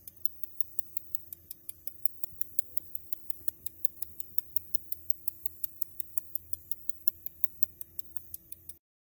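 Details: Sharp, even clicks about four times a second from an old Wine Enthusiast wine cooler, model 280-03-01, which has recently started clicking and stopped cooling.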